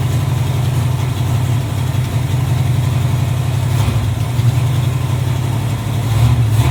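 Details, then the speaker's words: 1986 Camaro Z28 350 small-block V8, previously backfiring for prior owner, now running off the tank with new fuel line, oil pressure and charging: deep, steady rumble, no knocks, misses or rattles; healthy idle. "All right. That's idle. I don't think there's anything wrong with this motor. It's running off the tank. Yep. It's running and it's charging."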